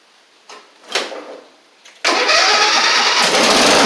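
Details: Traded-in Craftsman Wizard rider mower, battery just fitted, cranks with a few clicks, then starts at once and runs evenly with no misses or knocks; engine and drive seem fine, and the work needed is on the deck (thin deck belt, possibly rusty pulleys).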